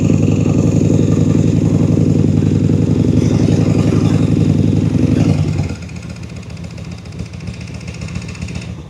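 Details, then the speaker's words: 2003 Honda VT750 V-twin after fork seal replacement, plugs, oil and filter service, started on choke: even loping beat about 220 pulses a minute settling to a lower steady idle; healthy engine, may want a tune-up in spring. "Maybe in the spring, it might need a good tune-up, but it sounds great. Let's see, I'm gonna start it before we go. Pull the choke out. Sounds good."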